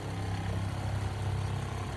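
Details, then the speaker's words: RV Shurflo 2088-403-144 water pump after a DIY super-glue repair of suspected freeze damage that had kept it running without tripping the pressure switch; steady, even low drone with full water flow, building pressure; normal pump running. "can hear the pump turn on we have full well we never got that much water out before we started this"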